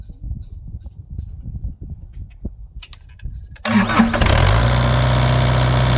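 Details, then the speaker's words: Bobcat E80 excavator diesel after clearing contaminated water separator and changing fuel filters; starter cranks briefly, fires at once into steady even idle, water-in-fuel light off; normal quick start after repair of previous start-then-stall problem. "okay okay so that was the problem starts up real fast and uh the fuel in water in the fuel light went off so we're good to go there"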